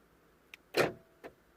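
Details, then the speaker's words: 2008 BMW 320d E90 central locking fault, where three of four doors lock but will not unlock by remote or console button; recorded close to the door: short click, half-second motor whirr and closing click, the actuator runs but the door stays locked. "w, the interesting thing is I can hear the locks actuating inside the doors when I press the lock and unlock."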